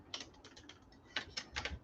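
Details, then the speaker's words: Scale's 12 V DC 300 mA AC adapter, shaken by hand: light irregular clicking bursts like a loose piece tumbling inside the case; something broken free inside, suspected, not confirmed. "is it that's interesting it's rattling around i might open it up just to see what the hell is going on"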